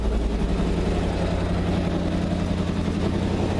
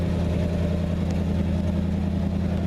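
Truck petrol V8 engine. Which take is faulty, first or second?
first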